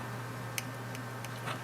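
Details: Jaguar S-Type (X202) remote key fob during button-switch repair: one crisp, sharp click from the fob switch in a quiet room, unlike the dead-feeling switch; normal, working switch click.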